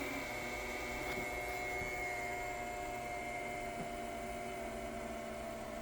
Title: Creality ender 3 v3 ke print head makes loud noise